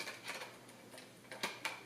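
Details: Sony a6300 with an old Minolta A-mount lens on an adapter: faint irregular ticking and small clicks in a quiet room as the lens hunts focus; noisy autofocus drive through the adapter, cause suspected, not confirmed.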